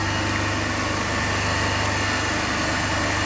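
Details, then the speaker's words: Three-phase induction motor coupled to DC compound machine in lab, running single-phased with third phase cut out (zero current and wattmeter reading in that phase): steady drone with strong low hum. "So we have taken the first set of reading in balance and unbalanced condition, running motor as a 3-phase induction only, and in unbalanced condition we have cut out one phase, that is third phase, and we have observed the its effect on means branch current and voltage and all things."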